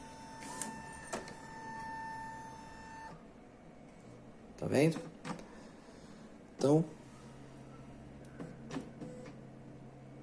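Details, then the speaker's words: Epson L3150 printer that had a general error with all lights flashing: low hum with smooth feed and carriage bursts, no grinding, belt noise during head cleaning; printing normally again (temporary fix). "tá fazendo uma limpeza do cabeçote esse barulho é por causa da correia tudo bonitinho vamos tirar outra cópia"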